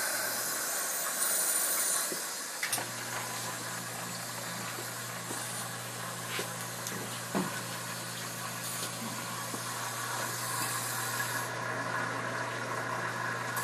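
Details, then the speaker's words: Two-zone hot water baseboard heating system being bled at drain valve: continuous soft hiss over low steady hum with faint spits as water pushes trapped air out. "yeah I can hear the air coming out of this thing yeah it does it just now"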